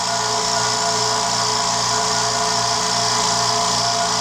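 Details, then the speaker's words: New California Air Tools quiet air compressor, just assembled, recorded about 2 feet away, filling tank: smooth, steady hum with light hiss, no knocks or surging; running healthy. "Just got done putting it together, and it's filling up as we speak. I don't know if you can hear it, but I'm talking it kind of just in a normal voice to give you an idea what it sounds like."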